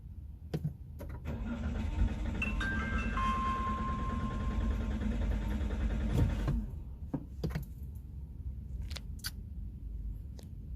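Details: Toyota Rush hard start: long uneven cranking for several seconds before the engine finally catches, then a few clunks; slow to fire, cause unclear.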